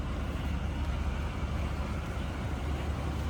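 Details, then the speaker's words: 1979 Oldsmobile Cutlass Supreme two-door coupe V8, heard from the rear at idle: steady even low rumble, smooth exhaust pulses, no knocks or misses, no loud exhaust; healthy idle. "You can hear it run. What you'd expect. No crazy exhaust, anything obnoxious, anything like that."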